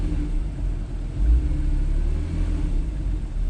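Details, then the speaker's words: Porsche 911 Carrera 4S 997 Gen 2, 3.8 flat-six DFI, 6-speed manual, freshly serviced; idling with the PSE switchable sports exhaust disengaged, a low, even burble with no misses or ticks. "and then I'll turn it on again, so you can hear it quite noticeably. Sounds absolutely fabulous."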